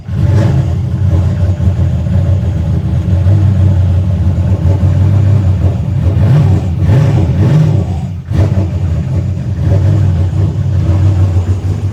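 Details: Car after new wastegates (old diaphragms broken, overboosting): engine pulls cleanly through a few blips and settles back to an even idle with no stumbling; normal running.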